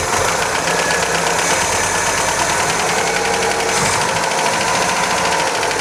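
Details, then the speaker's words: 1977 MGB on its first run after years off the road, about 60 psi oil pressure; fast light metallic tappet clatter over an uneven beat; rough running from badly wrong, massively advanced timing; tappets to be adjusted. "she's tapity rattle we can adjust the tappets and she's running roughly because the timing isn't as it should be of it's massively Advanced to try and get it all sorted but it's actually awake"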